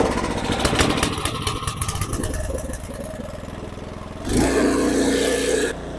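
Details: Snow blower small engine after fuel line replacement and carburetor cleaning, started on choke and prime: quick choppy revs settle into a steady idle, then a louder even run with no misses; running normally.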